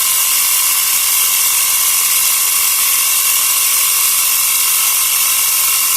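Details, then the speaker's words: Portable 12 V cigarette-lighter piston tyre pump inflating a formerly flat tyre, gauge starting to rise; fast, steady high-pitched rattling chatter with no stalling or hiss — normal running. "ครับเริ่มแข็งนะจากแบนๆนะเอ้เกดเกดเริ่มตีขึ้นนะครับ"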